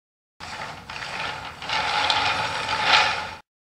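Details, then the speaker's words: Uneven, gritty rattling rumble surging and fading from a homemade wooden flat thrust bearing running on 9/16" yellow glass marbles in a 5/8" core-box groove; the marbles aren't round, so it runs rough. "using all of yellow marbles it's not too bad they're a little bigger in diameter and the race is not touching the cave still they're not round and it runs rough"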